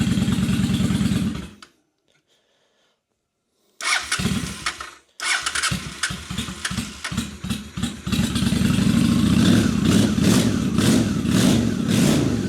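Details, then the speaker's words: 2003 Honda Shadow Spirit VT750 V-twin at idle after annual carburetor clean (had been running on one cylinder): short crank, catches, settles into an even, steady lope with both cylinders firing cleanly and no misses; idle super smooth, normal idle. "Oh yeah, she's running great. idle is super smooth."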